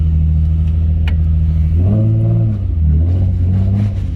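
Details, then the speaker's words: Nissan 350Z after installing tie rod spacers: deep, solid exhaust rumble rising cleanly with revs, no puffing or ticking; normal, leak-free exhaust note. "That is way better. That's what this is supposed to sound like. That is much better."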